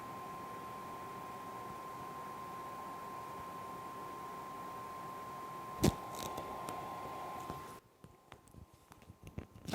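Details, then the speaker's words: Used game console from a Goodwill mystery lot, running: steady high whine with constant pitch over hissing airflow, fan running flat out and loud; owner suspects a thermal issue, possibly from dirt packed inside. "Okay, so the first thing I do notice about this system when it's running is the fan is loud."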